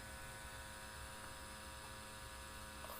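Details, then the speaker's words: Ideal Logic E12 regular gas boiler after full strip-down service and cleaning of dirty combustion system and condensate trap: smooth ignition, quiet steady hum with faint fan whir; earlier ignition vibration noise gone, burner firing normally. "ignition sequels see smooth ignition that noise has disappeared and that's how it should be"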